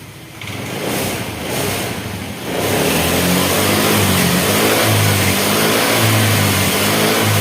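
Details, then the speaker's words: Honda Vario 110 carburetor scooter after repair, with a borrowed battery reaching 14 V charging: engine catches, revs up, then holds a steady, even drone with no misfire; ignition is fine and the sputter is gone, having been caused by no charging and a flat battery. "Oke, dan ini untuk bagian pengapiannya sudah sip, sudah nggak berebet lagi."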